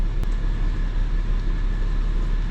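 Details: 2004 BMW 325xi automatic, 17 years old, check engine light on: a low, lumpy idle with an uneven throb, and the car shakes. The scan tool shows misfire codes on cylinders six and two.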